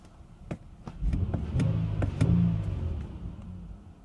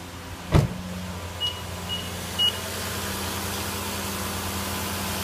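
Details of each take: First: 2010 Nissan Murano Z51, before throttle body cleaning: idle swells and sags over a few seconds, tachometer needle occasionally jumps; idle hunting, owner hopes cleaning the throttle body fixes it, cause unconfirmed. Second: 2010 Nissan Murano Z51, 87,000 on the clock, just restarted after throttle body cleaning, cold: steady smooth fast idle around 1500 rpm with constant low hum, a couple of clicks at start, no stumbles; engine runs softly.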